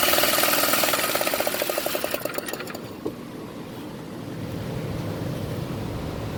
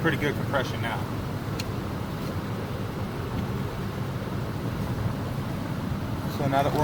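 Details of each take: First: Baja minibike engine, left to rot in bushes and previously seized, spun over with a drill: a quick even spin at about four beats a second with no compression puffs, then it dies away; no compression. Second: Baja minibike engine, previously seized with no compression, after being taken apart and reassembled, spun over with a drill on the bench: an even chuffing of about three strokes a second; compression now good.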